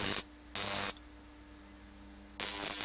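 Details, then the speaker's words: Homemade high-voltage transformer, about 20 volts input: sharp hissing bursts over faint mains hum, corona discharge from the high-voltage output, audible through the handle. "that was just another Vault see I can hear that on my handle already the corona"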